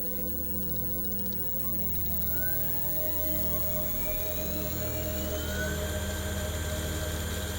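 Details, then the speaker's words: Homemade brushless motor converted from old car alternator, fed 55 V DC through brushless controller, potentiometer raising speed to maximum: clean whine climbing in pitch over even hum, no knocks; quiet, high-torque, healthy motor. "Chúng tôi đã đạt đến tốc độ động cơ tối đa. Nó có mô-men xoắn cao đến mức nếu chúng ta tăng tốc đột ngột, động cơ sẽ nhảy vọt. Nó rất yên tĩnh và rất mạnh mẽ."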